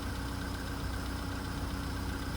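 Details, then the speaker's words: VW Polo Sedan (CFNA), 102,239 km, after a cold start at −2.5 °C: once warm, about five minutes in, a steady, even idle with no tapping; the cold-start knock has stopped. "В принципе, вот 5 минут. 5 минут постучало и перестало."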